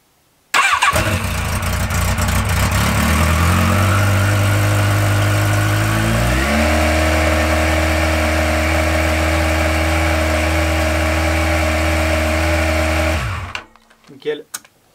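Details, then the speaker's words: Yamaha XJR four-cylinder, after leak repairs with the studs re-torqued gently and evenly, carbs synced and idle adjusted: starts instantly, quick rev, then a steady, even idle with no ticking or puffing. The earlier noise is gone. "il y a plus ce bruit donc il y a plus qu'à prier que ce soir il y ait pas de goutte d'huile par terre"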